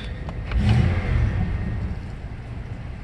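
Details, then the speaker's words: 1996 Jeep Grand Cherokee that used to sputter and stall when warm, after cleaning the ECU wiring connectors with contact cleaner, running over ten minutes; low even rumble with no stumble, misfire or surging; normal idle. "so far so good so it's been running for over ten minutes has installed"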